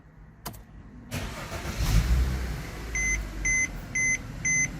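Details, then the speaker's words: Mercedes-Benz W204 after replacing the secondary air injection pump, which caused a loud engine noise, and a blown fuse that brought the check engine light back: engine cranks, catches, settles quietly, dash chimes beep; normal start, no warning lights. "yep and she's good no check engine lights um so everything is good"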